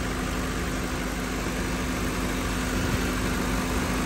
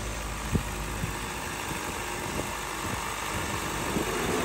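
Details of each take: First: Car A/C after adding about a quarter charge of refrigerant, fresh-air mode: steady idle hum, compressor now stays engaged without cycling off; low side 21 psi, high side dropped from 209 psi. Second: Car A/C 1/4 charge low on refrigerant, idling in 94° sun with doors and windows open on fresh air: compressor clutch clicks every second or so, then cycle time extends with a steady hum as more hot air loads the evaporator.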